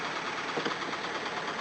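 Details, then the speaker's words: Toyota just started, with valves sticking from suspected carbon buildup: uneven stumbling idle running on about three cylinders; later seated by driving. Rough idle misfire. "There we go, 3 cylinders. Sounds awful."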